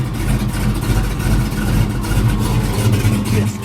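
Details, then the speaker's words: LS-swapped Chevy S10 with full exhaust, just started on a warm day: deep, loose V8 burble with an even low lope and slight throttle blips, mellow and healthy at idle. "Man, this truck be so mellow, man. It be so mellow when it's at idle, but when you get on it, boy, you can tell it got full exhaust out the back."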